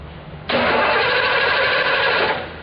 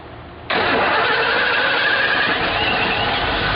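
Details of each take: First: 2006 Hyundai Sonata no-start, battery at 12.3 V. The starter spins the engine about two seconds with an even, solid churn, indicating good compression. Spark jumps about 3/4 inch; timing not yet checked. Normal cranking. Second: 2006 Hyundai Sonata started while fuel pressure is watched on a gauge: it fires almost at once and holds a steady idle. Low fuel pressure is blamed for long cranking before starting after the car sits.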